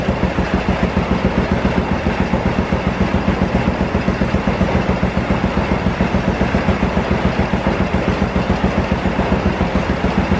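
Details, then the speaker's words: Honda Revo Absolut after new cam chain tensioner and new aftermarket clutch pulley: steady, even putter about 3.5 beats a second, no ticking or rattle; clean, healthy idle, engine still loose, exhaust has a hole mid-pipe. "Oke, kayak gitu ya suaranya. Mesinnya masih halus sekali, nggak ada suara kemercek atau apa-apa, nggak ada ya."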